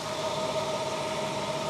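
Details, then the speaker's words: BMW 760Li V12 after replacing both fuel filters with correct OEM filters: fires straight up, then steady, even idle hum with no misses, knocks or stumbles; normal idle, no leaks found. "there he goes yeah fired straight into life let's go check for leaks"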